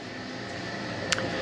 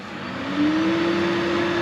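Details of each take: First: Heatmaster G10000 outdoor wood boiler before deep clean, turbulators nearly stuck: loud steady rushing drone from draft fan with faint whistle and brief tick; fan sounds rough. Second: Heatmaster G10000 outdoor wood boiler after deep clean, cold start: draft fan hum rises in pitch as it spins up then holds steady, no rattle or scrape; runs quiet and healthy.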